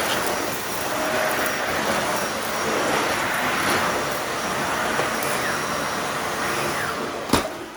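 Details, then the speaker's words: Dyson vacuum with uncleaned filters, brush roll off on hard floor: even, strong rushing motor hum with light debris rattles, no pitch surging; runs normally, all debris reaches the bin via its central cyclone. "Handled that no problem at all."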